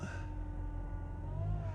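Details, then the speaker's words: Dodge Caliber with CVT transmission, 179,000 miles, barely pulling: steady high whine over deep engine rumble, rising slightly in pitch in gear; whine also heard revving in neutral, transmission whine suspected. "let me see i mean i just do some isolation it's whining and gearing i ain't man still in gear i'm gonna go to neutral whoa see i hear that wine"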